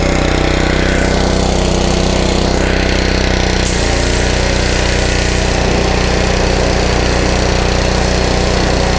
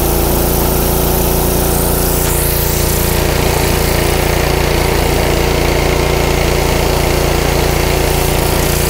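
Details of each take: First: Honda 5 hp GC160 (model uncertain) gravity-fed pressure washer engine that had been surging with weak pressure, after new filter, spark plug and carburetor cleaning: holds a steady, even chug at constant speed with no surging or hunting; runs smoothly. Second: Honda GC160 5 hp pressure washer engine, filter and spark plug already replaced: speed rises and falls on a steady cycle, hunting; surging clears with some choke; clogged carburetor.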